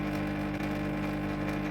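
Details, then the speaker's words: Canister aquarium filter running at 62–63 dB, before repair: a loud, steady buzzing hum as the impeller rattles on its snapped impeller rod. "so that's how noisy it is which is seriously noisy around 62 63 decibels which way too noisy just to have in the kitchen"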